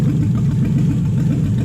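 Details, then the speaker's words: Toyota/Lexus 1UZ-FE V8 on the Spitronics ECU, first start in this setup with a barely adjusted map. Lumpy, low, loping idle with stumbles, firing on 4 cylinders; the owner relates it to a coil-type fault with the cylinder mix-up. "Considering it fired up on 4 cylinders, it actually runs pretty well. So there's something up with this."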